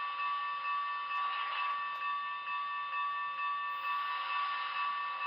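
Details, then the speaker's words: Broadway Limited Imports 2025 Union Pacific Big Boy 4014 model locomotive with Paragon 4 sound, modern-day appearance: fast steady ticking about two per second over a thin high motor whir; very loud motor ticking, cause unknown, owner believes every BLI Big Boy has it. "You might hear it in this next one as well, but the motor ticking is very loud, and I'm not sure why it has that."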